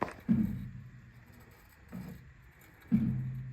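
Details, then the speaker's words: 2011 Ford Explorer front strut coil spring makes a dull low thud, about three in four seconds, as the wheel is turned left or right. The spring twitches, and grabbing it muffles the noise. The clunk has persisted for months. Fix: replace the whole strut assembly. "can kind of see it twitching when that noise happens and if I grab it I can muffle that noise a ton because it's the vibration in that spring causing that Doom noise"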